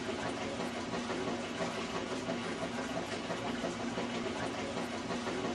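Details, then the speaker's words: Whirlpool top-load washer with the lid switch bypass switch on, agitating with the door open: steady churning swish, even back-and-forth rhythm, no knocks or grinding; normal agitation. "When you turn the bypass switch on, the washer will agitate with the door open."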